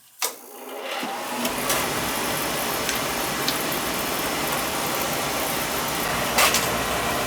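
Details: Oil-fired boiler with Tjernlund power venter: click, short rise, then steady, even whooshing roar without rattles or cycling; venter and burner normal.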